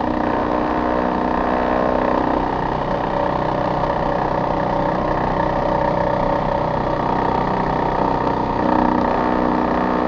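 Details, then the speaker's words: Older Trane XV90 two-stage furnace at startup: the ECM blower motor makes a loud, steady drone with a rough, uneven rumble underneath; failing ECM motor. "i'm going to go ahead and press this button to fire it up that's not a happy ecm motor"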